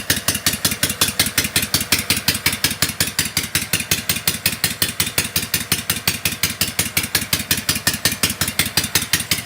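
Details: Kawasaki FD620D V-twin in an Argocat after partial engine rebuild (oil pressure light wasn't going out), very cold day, fired up without choke; gauge reads about 65 psi oil pressure, not bad. Even, steady pulsing about three beats a second, crisp exhaust, no knocks: normal idle.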